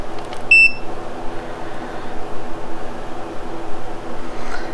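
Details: Mercury Thunderbolt 500 50 HP outboard during rebuild, setting secondary timing pickup; one short, clear high multimeter beep over faint room hum showing continuity.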